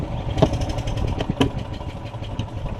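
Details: Yamaha golf cart carburetted engine cranking on choke, suspected main jet issue: catches with a couple of brief pops about a second apart, then stalls. Hard starting, fixed later by draining and flushing the float bowl and top jet.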